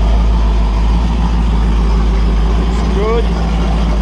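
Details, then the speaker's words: Freshly built Holden 355 stroker V8 on test bench, flat-top pistons, Sig Erson TQ30 cam, 9.5:1 compression, HEI, Edelbrock carb, single-plane manifold, first start: deep steady even idle, no knocks, 30 psi oil pressure at idle. "good sounds good oh we got good oil 30 PSI at idle oil pressure"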